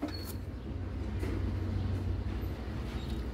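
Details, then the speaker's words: Ford car with a customer-reported wheel hum, rear wheel spun by hand during diagnosis: steady, smooth low whir with no grinding, play or rough rumble; bearing sounds normal. "escucha la escucho bien normal se podría decir eso sí le hace falta como un ajustadita a los trenes pero en sí está bien"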